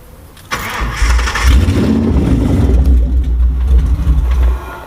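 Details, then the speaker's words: Ford Crown Victoria 4.6 DOHC with low compression, after new injectors, IAC, TPS, plugs, wires, coil packs and ECU: cranks and catches, then a low, uneven, stumbling rough idle; sounds better but not right yet. "it's not quite there yet but it's running all right so"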